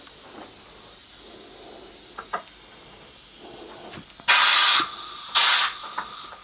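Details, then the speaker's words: Foden steam wagon injector valve, dummy-build air test after first lapping: quiet stretch, then two sharp air-hiss bursts about a second apart. Seat still weeps very slightly, far better than before; more lapping with finer paste planned. "got a very very slight wheat on it nothing compared to what it had but it's not right yet very very"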